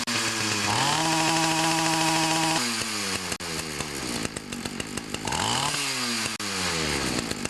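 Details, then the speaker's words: Ryobi 31cc two-stroke mini cultivator that died when throttled up: after turning the low (L) carb screw out about 1/8–1/4 turn, crisp buzz idles steadily and revs cleanly up and down without stumbling; normal running. "Run good with just that tuning. Basically all I did is turned out the L screw about 1/8 to 1/4 of a turn,"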